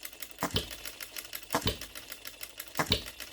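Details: OKMO Retrol B02 miniature petrol hit-and-miss engine on shellite, very first start, straight out of the box with no adjustments: sharp firing bursts about every 1.2 seconds with quiet coasting between; clean regular hit-and-miss rhythm, running healthy.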